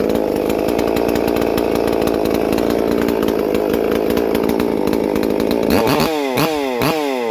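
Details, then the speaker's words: Holzfforma MS 440 parts-kit clone chainsaw, freshly built with ported 52mm big-bore cylinder (~76cc), first runs before break-in: crisp steady high-pitched scream at full throttle, then quick clean blips; running strong and normal. "yep Euler's working it's always good crisp so you gotta put on a bar and start let her eat some wood try and break it in"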